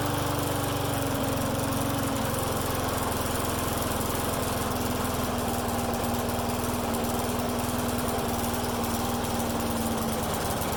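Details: Friend's lawn mower that starts and dies, running with air filter on; runs about ten seconds with pitch drifting lower and uneven beat, speed sagging, owner suspects a vacuum leak.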